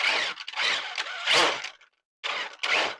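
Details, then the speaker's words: First-gen Traxxas E-Revo RC truck with a suspected bad rear differential (ring and pinion or spider gears), rear lifted and driven: harsh rasping grind in bursts, rear wheels jamming while the fronts turn freely. Clicking while running was the first sign. "Another way you can do it is you can turn it on. And lift up the back end. You need a kind of a slippery surface a little bit. Front tires are moving no problem. The backs though,"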